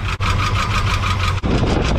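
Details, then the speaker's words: Idling V8 pickup truck with quick regular tap-tap of the lifters in step with engine speed; valve train ticking, top-end oil seen on passenger side. "You can hear the valve knocking. So you can hear how the lifters are tap, tap, tap, tap, tap, tap."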